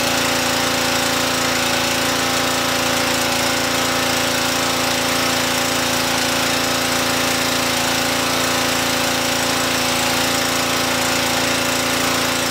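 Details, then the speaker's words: Loud, steady small-engine roar with even pump chatter, no surging or misses, on a Briggs & Stratton Brute power washer's first test run after a choke start, holding speed under spray load; running normally. "well that is a serious amount of cleaning power it brightened up that concrete considerably"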